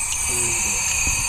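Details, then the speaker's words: Honda B16, a daily driver whose head came from a blown engine, engine off under cylinder pressure test; steady high-pitched air hiss, and the cylinder blows water bubbles everywhere. Head leak suspected; head to be pulled for a valve job. "She's blowing water bubbles all over the place, y'all. That cylinder right over here is just blowing. I can actually feel it. You can hear it."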